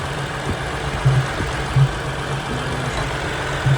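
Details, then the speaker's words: 2007 Ford Freestar 4.2L, transmission just rebuilt, idling: gurgling, knocking soft pops heard from the air filter box. Popping stopped with the idle air control valve disconnected, pointing to a faulty IAC valve. "I want to hear this in the airbox sounds like a gurgling sound like knocking that's coming from the Earth box"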